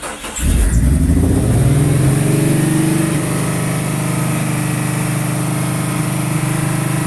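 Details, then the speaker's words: 1999 Jeep Cherokee XJ first start after 7 months and work (header, starter, manifold gasket, valve cover gasket, thermostat, PCV, IACV, 63mm bored throttle body): engine catches, flares, holds fast high idle toward redline, grease smoke burning off. "but that high idle is what has me very very worried stay tuned"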